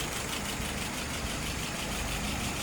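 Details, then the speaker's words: Restored WO 539S after testing and adjustment: no leaks, float set correctly with no drift. Smooth, quiet, even idle at about 660 RPM with nothing irregular; fuel pressure 2.5+, vacuum 22+; engine runs properly. "Now, if your timing is right, this is what you'll get. And that float is set correctly. No problem, no drift."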